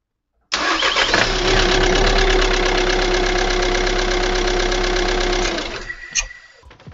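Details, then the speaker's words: Audi A3 1.6 TDI diesel, cold first start, mic placed near the engine: quick, light ticking at about four per second over the idle clatter, seemingly from the top end. Cause suspected, not confirmed. "Donc, durant ce premier démarrage, j'ai quand même pu entendre un petit cliquetis qui apparemment aurait plus l'air de venir du haut moteur."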